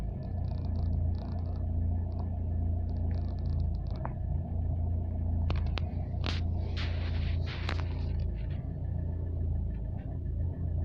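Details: Renault Clio 3 dCi diesel at cold start: a deep, steady rumble with scattered irregular clicks and scrapes on top, an abnormal engine noise with the cause unknown.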